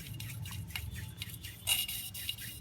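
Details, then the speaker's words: Suzuki Satria FU with compression loss from a badly leaking valve oil seal, valve being hand-lapped: gritty, scratchy rasp with each twist of the lapping tool about every quarter second; valve seat still rough, needs more lapping. "Nah kalau sudah adem seperti ini batis Club itu tinggal menghaluskan saja ya batik Lettu masih tool Ya tapi kalau udah tetap ditarik apa disku seperti ini masih Bunyi crowcake terus saja nggak nggak nggak bisa suara adem seperti ini batik klubnya rusak ya"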